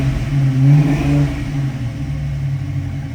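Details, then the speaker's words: 1966 Ford Mustang coupe, 302 V8 with FiTech fuel injection and C4 automatic, revved a few times from the cabin: deep, smooth blips up that settle back with even firing and no knocks or rattles. Normal free revving. "Let me give this car a couple of revs, show you the tachometer's working, and let you hear the revving sound of the engine."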